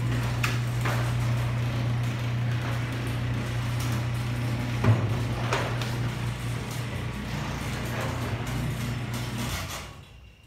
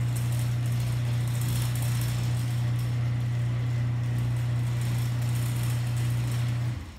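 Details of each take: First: Genie ProMax 1/3 HP chain-drive garage door opener running: fairly quiet low motor hum that wavers slightly as the chain runs, then stops; owner unsure whether it needs lubrication or has a bad gear. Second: Genie ProMax 1/3 HP chain-drive garage door opener run with door disconnected: low steady hum for about seven seconds then winds down, no grinding or chatter, quieter than a screw-drive opener; healthy motor.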